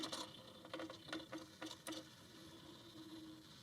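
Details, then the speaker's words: Portable ice machine after limit switch replacement, plugged in in standby and not switched on; faint motor whirr with irregular ticks and clacks as the ice bucket moves by itself because a connector was left unplugged. "I don't know what it's doing. It's not even on."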